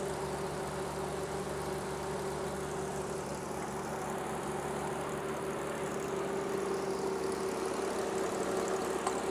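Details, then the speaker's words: 1950 Dodge Power Wagon 4x4 truck, old straight-six, first start after revival with timing set, choke pulled, distributor not yet bolted down, oil leak present and more coolant needed; quiet steady low idle, even rumble, no knocks or misses; normal idle. "right more coolant needed that sounds absolutely sweet"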